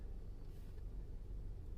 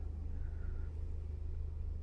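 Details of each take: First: 2019 Toyota RAV4 with 35,000 km, after the engine assembly was replaced under warranty because of a knocking noise, zero oil pressure (DTC P05202A, P052477) and metal debris in the oil pan. Low, steady rumble, smooth normal idle, oil pressure good. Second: 2019 Toyota RAV4, 35,000 km, with low oil pressure codes, zero oil pressure and jerking: a low, fast rhythmic knocking under a deep engine rumble from oil-starved rods, metal debris in the pan; the engine assembly was replaced.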